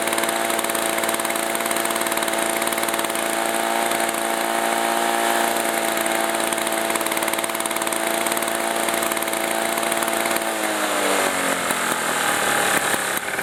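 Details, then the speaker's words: 1987 Briggs & Stratton two-stroke Super Bagger lawn mower, cold engine with a well-tuned carburetor: smooth, even idle that settles lower as the idle is turned down. It smokes quite a bit. Normal idle from a very well balanced engine. "so as you can hear this machine it just idle so low it's just a very well balanced engine i like this machine a lot"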